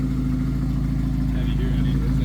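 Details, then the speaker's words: 1991 Jeep Wrangler YJ 2.5L four-cylinder after sealing last leak on top of a coupler with exhaust sealant, Flowmaster Super 44 fitted: even mellow tailpipe rumble, smooth pulse, no hiss or ticking; exhaust sounds right. "dude sounds perfect cool all right so we fixed up the last of the uh the leak it was on the top side of the one of the couplers"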